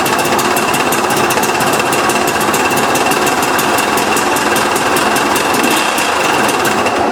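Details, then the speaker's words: 2008 KTM 250 XC two-stroke woods bike, just acquired in a trade: fast, sharp metallic rattle about four times a second over a high, busy idle; crunchy internal engine knock, cause unclear. "Oh man, it sounds terrible."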